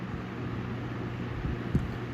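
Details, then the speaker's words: 1923 Emerson 71666 desk fan after repaint and gearbox regrease, running on low: steady low hum, even unhurried whir, no knocking or scraping; well balanced, normal running. "That's pretty well balanced too, considering. I really didn't know how well that was going to go. It seems to be balanced."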